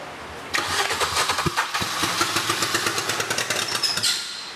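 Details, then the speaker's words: First-generation classic MINI bought cheap as non-runner, fuel pump relay jumped: short labored crank with uneven heavy thuds that drags and stops, sounding seized; hole found in oil pan, suspected thrown connecting rod. "ooh what was that that was that sounded like seized"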